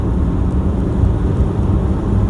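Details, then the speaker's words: Toyota Hilux diesel after injector replacement, steady cruise at 50–60 km/h with window down: even low rumble, no knock or rattle; normal smooth diesel (owner notes some rattle is normal with window up). "okay you can hear the engine 50 k's 60 k's"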